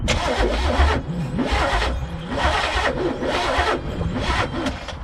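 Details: 1985 Pontiac Trans Am, 5.7 350 small-block Chevy, unrun 7 years and once seized, was freed with oil soak. After the distributor was shifted, the starter churns in even pulses about once a second; it has spark but never fires. Cranking no-start.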